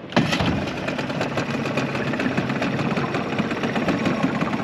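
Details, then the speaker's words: 2001 Yamaha 5 hp two-stroke outboard, warm after running a while, after lower unit reverse-shift repair: fires on the first pull and settles to a steady, even putter with no misses or knocks; clean, healthy start. "Okay guys, so we've been out here for a little bit. The engine's running perfect. So I'm just gonna show you guys the startup right"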